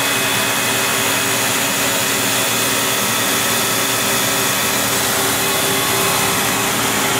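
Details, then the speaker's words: 2008 Citizen A20 Type VII Swiss CNC lathe, Fanuc control, main spindle at 4500 rpm, microphone two inches from spindle: smooth steady high whirr, no grinding or roughness; healthy spindle bearings. "i'm at 4500 rpm and i'm two inches away from the main spindle you can hear that the bearings sound very very good"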